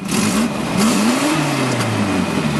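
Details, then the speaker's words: 1990 Volvo 240 DL petrol engine started and revved; raspy puffing exhaust note with sharp pops and backfires, under heavy wind, from an exhaust leak underneath; otherwise starts and runs perfect. "start it up you can hear that exhaust leak first thing I'm going to [Music] say but otherwise it starts up and runs perfect the exhaust leak is literally right here underneath of the"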